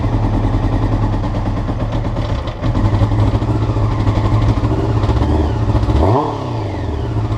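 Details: Honda CBR before changing float needles: uneven, stumbling idle with a lumpy low beat, then a quick blip to about 2,000 rpm that settles back unsteadily; rough idle, float needles suspected.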